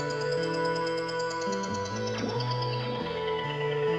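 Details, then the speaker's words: HP Pavilion x360 laptop, which had been dropped, playing through an external Bluetooth speaker: calm music plays smoothly with no popping or crackling. This suggests the sound driver is fine and the crackling fault lies in the internal speakers. "amazing it works perfectly with bluetooth what that tells me is that the sound driver is probably okay and the problem is probably something to do with the speakers internally"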